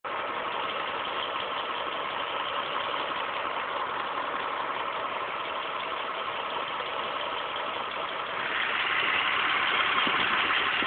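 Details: 2006 Mitsubishi Eclipse GT petrol engine idling with a light, steady tick about three a second over a muffled hum.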